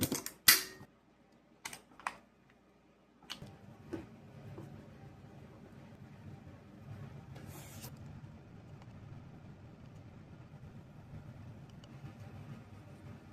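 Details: Greenworks 1704 electric pressure washer that had stopped working, tested through a popping GFCI: sharp clicks and a pop, then quiet even motor hum; after about 100 clicks it finally runs normally, though the fault later returns.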